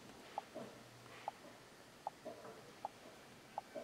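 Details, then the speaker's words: 2010 Chevrolet 1500 with EVAP and O2 sensor codes, key on engine off: faint ticks about every 0.75 s, the EVAP canister vent solenoid clicking normally. "I'm going to see if we can hear the vent valve clicking."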